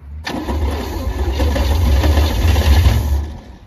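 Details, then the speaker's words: 1976 GMC K15, 350 small-block Chevy with HEI, 55,000 miles, parked 38 years, first start attempts: starter churns unevenly about three seconds with ragged firing, never catches cleanly; hard start. "Why does that not sound like it's firing? Does it not sound like it's firing to you guys? Sounds funny, yeah."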